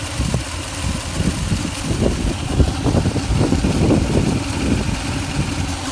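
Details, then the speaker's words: 2004 Toyota Tundra at idle after fan bearing replacement and timing belt change: uneven low rumble with soft irregular pulses and light revving, no knock or squeal; sounds better, earlier it was louder. "that sounds better right before it was totally it was louder and cleaner"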